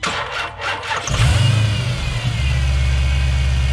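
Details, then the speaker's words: Chrysler 300 with Hellcat engine conversion, startup after replacing the oil cooler return line; starter turns slowly and unevenly about a second before catching into a deep idle; weak, nearly dead battery. "You guys can see it crank over. Here we go. Oh, dead battery."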